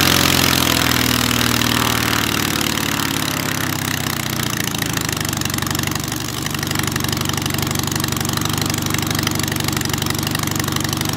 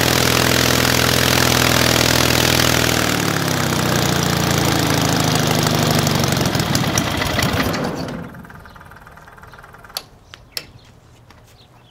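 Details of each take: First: Hummel Engines 45 hp half-VW aero engine, first start, oil pressure too high, idle possibly set a little low: fast, even firing with a consistent beat, no stumbles or rattles; runs smooth, normal. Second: Hummel Engines 45 hp half-VW aircraft engine with electronic ignition, first start. It runs strongly and smoothly, then winds down and quits as the throttle is pulled back to idle. Engine stalls at idle; owner thinks the idle is set a little low.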